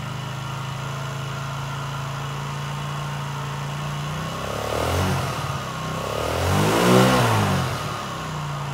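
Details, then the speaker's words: Chinese 50cc Geely two-stroke scooter, revived after sitting: settles into an even, steady idle and takes two clean throttle blips; normal idle. "that's better sounds like it's idling okay it's revving up to the RPMs"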